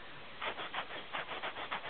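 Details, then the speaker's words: Tape recorder loudspeaker after its rear nut was unscrewed and retightened, recorded on phone: rhythmic scratchy scraping bursts, about three a second, over the output; voice coil rubbing on the magnet, two nuts need tightening together. "voice coil scraping on the magnet there but anyway i've um i think i can fix this so that's what i'm about to do now"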